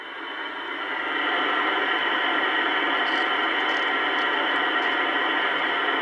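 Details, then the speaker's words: Kenwood TS-820S receiver on the 80 and 160 meter bands with no antenna, after cleaning its Molex plugs: steady even hiss with no signal or crackle. Receiver alive and working normally. "okay this is the 80 meter band this is the 160 and you can hear that we're getting a hiss no antenna on it yet of course"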